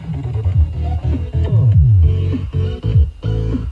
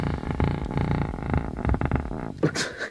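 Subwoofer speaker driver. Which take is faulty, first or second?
second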